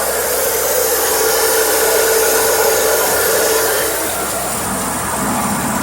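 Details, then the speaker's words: Toro CCR 2500 snowblower two-stroke, top cover off, running after starting fluid down the spark plug hole: steady even buzz, no stumbling or surging; owner suspects it was flooded or had old gas. "the engine's probably just flooded or the gas in the tank was old because when I put the starting fluid in it started right up so yeah working snowblower"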